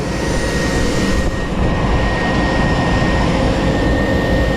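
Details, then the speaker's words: 2003 Chevy Tahoe, dead battery and no start, after tightening a loose battery ground connection: thin, steady high whine over an even idle, no flutter or grinding; alternator charging normally. "Get the old meter. We don't need that. Oh, I hear it charging. I hear that some gum charging."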